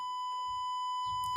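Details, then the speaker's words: Mobile phone earpiece speaker test in the phone's test mode: a clean, steady high beep holding one pitch with no crackle or dropout. The earpiece speaker works normally. "মানে আমার speaker ঠিক আছে, ইয়ার speaker ঠিক আছে, যেটা দিয়ে কথা বললে শোনা যায় কানের কাছে, আপনারা কিন্তু বুঝতে পারছেন।"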